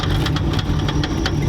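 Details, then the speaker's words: Clicking noise heard only at start-up, one or two clicks: sharp light clicks about every quarter second over a steady low idle; source unclear, possibly something smacking the flywheel. "Sounds like something's smacking the flywheel. Maybe. >> It's only when you start it though, right? >> Yeah. Just like just a one or two clicks."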